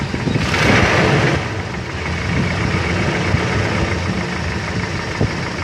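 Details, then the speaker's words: Toyota Kijang Kapsul engine idling with a light, quick "kletek" ticking, a problem caused by incorrect valve clearance. "jadi dalam video tadi itu merupakan salah satu permasalahan yang timbul akibat celah katup tidak sesuai"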